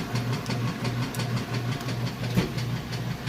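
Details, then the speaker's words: Whirlpool washer function test: even rhythmic swish-and-thump agitation, a bit under three strokes a second, strong, balanced, no grinding or banging; normal. "it's nice and balanced and no weird noises or anything like that, and then we'll move those clothes over to the dryer and let you see that the dryer works the way it should be. Nice strong agitation there."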